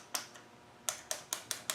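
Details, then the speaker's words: Stop solenoid of a VE diesel injection pump, bench-tested with a fused test lead to ground: crisp, sharp clicks, seven in two seconds, as it pulls in cleanly, working normally. "You can hear it. Nothing wrong with that."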